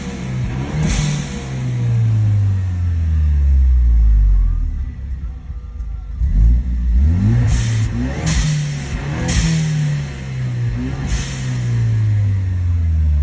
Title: Whining noise